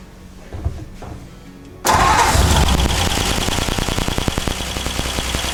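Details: 1949 Ford truck first start after rewiring, coil fed 12 volts with ballast resistors unhooked; cranks and catches quickly, then settles into a steady, even beat of about three pulses a second, a little smoke out the back; healthy.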